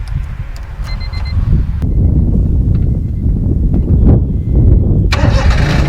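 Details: Small Japanese car for sale in Japan with an unreliable odometer (reads 43,000 km, estimated around 120,000 km): starter whirrs briefly, then the engine catches and settles into a steady low rumble with no knocks or rattles; healthy start.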